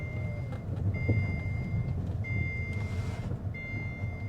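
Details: Alfa Romeo 159 five-cylinder, first start and drive after a replacement engine was fitted: high, steady beeps about every second and a half over the idle; dash warning chime, owner suspects a security system problem.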